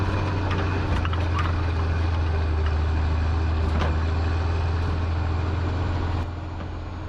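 Steady low diesel drone with an even beat and no stumble or miss; valvetrain sounds quiet and the engine runs smooth.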